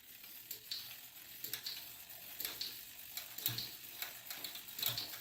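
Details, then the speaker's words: Fuji SL road bike with 12-speed Shimano Ultegra Di2, the rear derailleur deliberately moved inboard during adjustment until it rubs a cassette cog, giving light, uneven high-pitched ticking about once a second as the cranks turn. "I'm going to move the derailleur inboard until it rubs against the cog."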